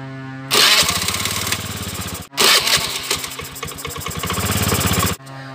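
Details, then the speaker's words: Old Honda Beat scooter starter motor bench-tested on battery after cleaning and reassembly so armature no longer touches: clean, even whirring with no groaning "nguk nguk" noise; starter now operating normally. "Bunyinya sudah hilang. Bagus sekali. Tidak ada bunyi berisik seperti nguk nguk nguk tadi ya, sudah hilang bunyinya."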